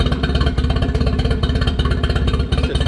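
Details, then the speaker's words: Johnson 15 hp two-stroke short-shaft outboard, around 1995–96, just after fitting a new fuel connector, filter and lines: an uneven, stumbling idle of about three pulses a second; it is not idling as well as it should. Rough idle. "all right got that new fuel connector on so let's send it that was easy it's running a little rough"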